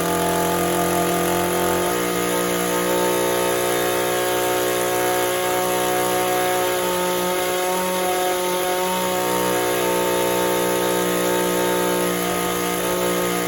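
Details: Echo two-stroke trimmer on the bench with crankcase and cylinder sound, no air leaks and a clean fuel filter. Even after adjusting the hidden carburettor screws it sags and stumbles between idle and wide-open throttle, bogging from a lean carburettor.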